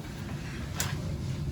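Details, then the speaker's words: Hydronic boiler feeding an indirect-fired water heater with no domestic hot water, traced to a defective switching relay replaced with a Taco SR506: steady low hum with faint rough buzz from the circulator; cause unclear. "the circulators I think is making some noise"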